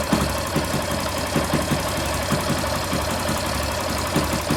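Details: Yamaha Factor 150 single-cylinder motorcycle at idle after reassembly and repair: steady, even beat with only light valvetrain ticking, no rattle or whine; the earlier engine noise is gone.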